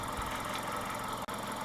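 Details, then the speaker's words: Mitsubishi 2.0 GDI 4G94 four-cylinder (Shogun Pinin) after EGR/intake cleaning: low, steady idle, very low on this engine, with faint light rattle under the hum, no knock; runs much better with more airflow, healthy. "And idle's nice. Oh, it's a 4-cylinder, rattles a bit. Idle is very low on this engine."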